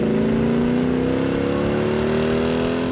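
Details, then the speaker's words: Plymouth V8 with dual quad carburetors and 3.54 gears, accelerating on a road test. A deep, smooth exhaust growl climbs steadily in pitch with no misses or knocks. Strong torque, described as a snarling engine; healthy under acceleration. "it's got a ton of power just amazing you know nothing like the torque of that thing when those dual quads open up you can hear it"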